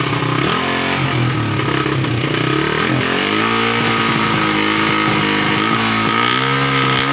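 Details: Suzuki Satria FU single-cylinder motorcycle after repairing a torn vacuum with glue, trimming the spring and capping an inactive port, previously misfiring, backfiring, hard starting and weak: revs up and settles with crisp even firing, running normally now.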